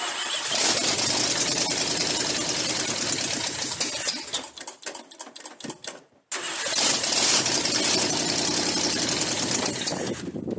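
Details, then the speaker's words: Truck engine (2011 Ram 1500 or 1975 Ford F-150, not specified) after refilling transmission fluid: loud open-exhaust V8 stumbles with an uneven beat, won't settle and restarts after a stall. Rough idle; owner suspects a vacuum leak, and the idle was raised. "Okay, maybe we're not at the idling point yet. We're getting closer. Heat. Okay, we definitely got a vacuum leak someplace."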